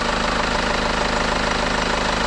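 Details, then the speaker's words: 2007 BMW 520d E60 with the M47 diesel, after removing the vacuum hose on the EGR valve: it idles evenly with a steady low clatter and no longer stumbles or stalls, including at junctions, after earlier stalling when shifting neutral to drive. "I remove this And now it doesn't stall anymore. It doesn't"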